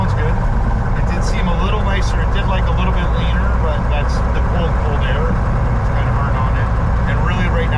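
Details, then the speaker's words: 1961 Cessna 172B after a six-month restoration, full-throttle run-up outdoors in sub-zero cold with snow: a deep, steady high-power roar with no misses or stumbles; healthy, temperatures a little low. "so there's enough snow on the ground and it's slippery enough that full throttle you can't hold it hold it still"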